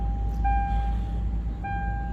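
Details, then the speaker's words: Lexus GS300 that cranked but would not start with a flashing security light (B2798 immobilizer code), after repair: it starts and settles to a steady, even idle under a constant chime; security light off, normal. "Security light बंद हो गया है और गाड़ी बिल्कुल सही हो गया है"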